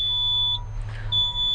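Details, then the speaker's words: Truck with DEF fault code 3572 under troubleshooting, engine off: steady high-pitched electronic beeping over a quiet hum, the low-air brake warning buzzer before the engine is started to build air pressure. "let's uh start it real quick and get this low air buzzer to quit beeping"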